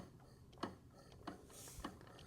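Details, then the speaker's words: 2002 Honda CRF450R, bought non-running, engine turned over by hand: slow evenly spaced ticks; cam and valves move, owner suspects something behind the clutch, cause unknown. "You can see the cam for sure. But I hear something kind of behind the clutch, I think. I don't know."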